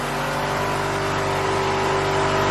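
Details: Honda Civic B16A with newly reinstalled injectors, holding a steady, even note with no misses or knocks after the fuel pressure was raised to spec; injectors pulse well and there are no return-side leaks. Normal running.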